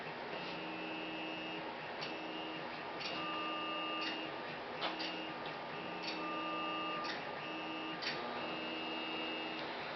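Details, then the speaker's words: Newly assembled Flsun QQ delta 3D printer, first power-on: short stepper-motor hums in bursts with light ticks over soft fan hiss during homing and auto-leveling; quiet and normal, slight vertical-panel vibration before rods are greased. "So it's homed. Oh, this thing is much quieter than the Big Cricket used to be. They've done an amazing job at making it quieter."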